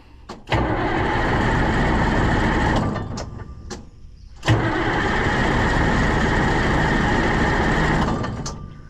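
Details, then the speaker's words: White 4-150 diesel tractor that stopped running: two long steady cranking bursts after priming, never catching. Owner suspects it lost prime; it later ran after starting fluid and cleaning the plunger. Cranks but won't start. "working that's primed up now I'm sure that didn't fix it cuz there's more issues I mean how can something that ran home not run"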